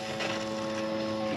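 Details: 2006 GMC Sierra after fuel pump replacement: steady mid-pitched electric whir holds for over a second at key-on, then fades; the new fuel pump priming normally, truck then starts.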